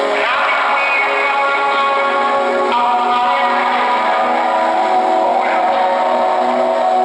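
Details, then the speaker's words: Norelco 1230 cassette recorder made in 1970, on batteries with the tablet disconnected: recording plays back smooth and even with no dropouts, speed wobble or static; normal playback. "wow it sounds so smooth I really love it I mean the truth the truth for a device manufactured in 1970"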